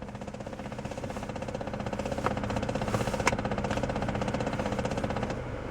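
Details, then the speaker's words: 2004 Saab 9-3 2.0T Vector convertible automatic, air conditioning running: fast steady clicking about three a second over blower hum, louder at higher fan speed, then stops; mechanic-diagnosed jamming heater recirculation flap. "now you should be able to hear a bit of clicking going on there it's louder if we go up so you can hear that it does stop it doesn't go on forever that is the recirculation flap which we've had diagnosed by our mechanics"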